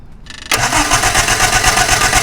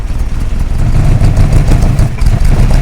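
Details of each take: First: Hillman Imp 1040 race engine with a misfire, cranked with an ignition wire pulled and plugs already changed. A steady, even pulse rhythm with every beat alike: compression equal across cylinders, internal fault not suspected. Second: Hillman Imp rally engine that began misfiring on a rally stage, revved on return. Uneven, lumpy beat with one pulse missing each cycle, pitch rising; mechanically quiet but running on three cylinders.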